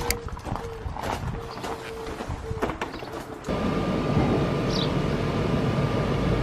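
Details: RV furnace during troubleshooting: a few scattered clicks, then the blower fan spins up to an even whoosh with a faint hum; the blower runs, but the furnace still isn't working.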